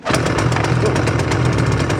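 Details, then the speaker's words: Echo CS-440 chainsaw after carburetor replacement (old one cut off at full throttle), hot day, chain brake on: catches on first pull and runs at a steady even two-stroke rattle without cutting out; works properly. "Started on the first pull. Looks like it works properly."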